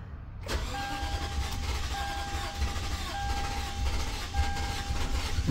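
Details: 2010 Toyota Tundra SR5 after secondary air injection valve replacement with fuel rail disconnected; fuel rail primed by cycling key, starter churns steadily with cab chime but engine never catches: extended crank without start from low fuel pressure.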